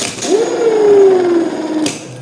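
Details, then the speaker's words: Starter motor during a starter-system diagnosis and repair lesson; the contact reportedly kept sticking and the motor still spins too weakly: a short whir rising to a modest pitch, then sagging within a second. Weak starter spin. "itu Masalahnya tadi konten nempel terus tapi ini motornya masih kurang kenceng"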